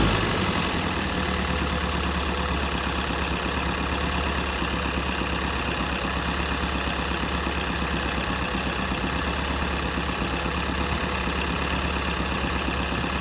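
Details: M151A2 MUTT four-cylinder at smooth, steady idle after valve adjustment (loose valves tightened, distributor rebuilt), even low thrum with no ticking or misses; now reaches 55–60 on the road with a strong pedal; normal idle.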